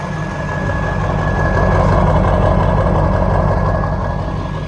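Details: Ford 7.3 Powerstroke diesel, low 200,000 miles, after swap; deep even rumble that swells and settles smoothly, no misses or knocks. Normal running.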